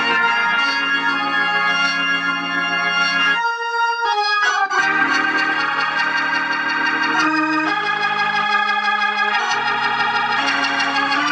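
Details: Organ chords and held notes come through clear and steady, no crackle, fuzz or hum, on the tube amp after replacing cheap 0.047 µF 1600 V and 0.1 µF 600 V capacitors with Cornell Dubilier caps; clean.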